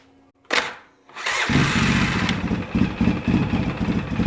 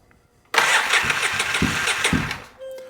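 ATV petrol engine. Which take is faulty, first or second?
second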